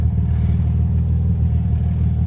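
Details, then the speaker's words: Toyota Tacoma started in freezing cold, still needing an alternator, recorded from the back of the truck: deep, even rumble with a steady beat and no knocks or misses; idling smoothly and healthy. "can hear she's running good."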